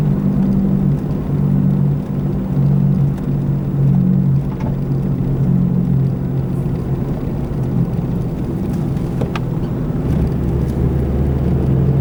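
Steady low droning hum sits under the road noise while cruising, a constant growl typical of a worn wheel bearing.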